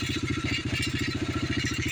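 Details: Yamaha TTR125 after carburetor fix, idling: small single thumps at a quick, even idle, about fourteen pulses a second, steady with no misses; no fuel leaking while running.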